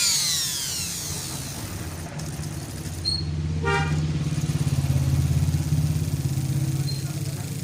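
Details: Rewound juicer motor that only started when pushed, after fixing a lead wire on the armature commutator whose insulation had not been stripped, tested through a 100 W series bulb: pause then spins up to a steady, even hum with slight beat; running normally, self-starting.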